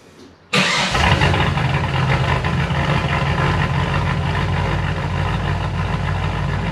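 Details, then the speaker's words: Holden VN SS after fixing exhaust leaks and cracked welds, no mufflers fitted: starts after a short crank, loud deep even idle, no ticking or chuffing; exhaust sealed, just unmuffled. "for definitely happy with how the exhaust has come out still very loud"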